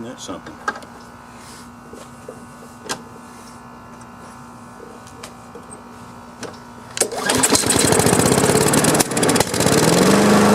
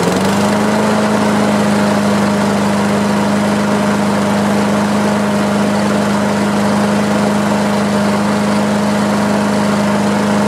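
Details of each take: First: Free Craftsman self-propelled push mower started on choke without starter fluid: quiet clicking, then a sharp pop and a fast chugging run; the removed plug is very dark, and it is then replaced with a new gapped plug. Backfire on start from fouled spark plug. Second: Craftsman self-propelled push mower after fitting a new gapped spark plug and a new air filter, replacing a dark fouled plug: steady, even engine note holding constant speed with no misses or surging; runs much better, normal running.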